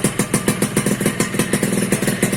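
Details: Suzuki Satria 2-stroke (Lumba) after bypassing the failed on/off button in the aftermarket right handlebar switch that killed the ignition: crisp, even popping at a steady fast idle with no misses or stumbles; normal running.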